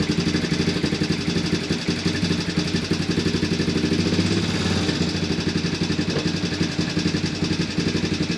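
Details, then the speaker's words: Early-2000s Honda Recon ATV single after carb cleaning and old gas removal, battery just fitted, fed from a reserve tank; steady putter about three beats a second, no stumbling or hunting, no smoke seen yet. "well that was pretty easy um seems to be idling pretty good i don't really see any smoke or anything coming out yet so that is good as well"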